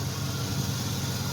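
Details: 1999 Chevy Silverado V8 at idle: light quick tick over the rumble that fades somewhat after a while and returns with a little gas, then a weird idle; owner lists it among disliked factory traits; ticking at idle.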